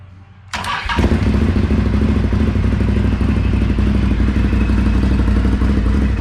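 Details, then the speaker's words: 2017 Can-Am Outlander 1000 at 2k miles, started after first valve adjustment (exhaust .006", intake .004") and radiator refill: quick start, steady throbbing V-twin idle with no valve train ticking; healthy. "This will be started up after adjusting the valves."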